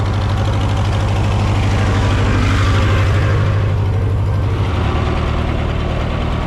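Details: Massey Harris 30 tractor after the oil was burned out of its cylinders: low even thumping idle with no dropped firing pulses; running cleanly, though the fuel sediment bowl is leaking gas.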